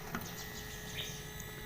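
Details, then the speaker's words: Honda Beat ESP scooter with ignition on and engine off: faint steady electric hum as the fuel pump keeps running instead of stopping after about three seconds; ECU or wiring/ground signal fault suspected, to be repaired; scooter also stutters and speedometer was dead. "Enggak ini ini mesin masih mati cuman apa ini pulpennya dia nyala terus hidup terus harusnya begitu dikontak jarak tiga detik dia mati tapi di sini Bunyi terus bisa didengarkan"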